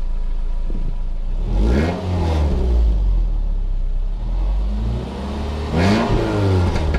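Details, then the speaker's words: 2009 Subaru Outback with newly installed NorthEast stainless steel cat-back exhaust idles low and smooth with two brief revs, no rasp or rattle; whisper quiet versus the old system, though noisier on cold starts. "She's definitely whisper quiet compared to how it has been for the last few years."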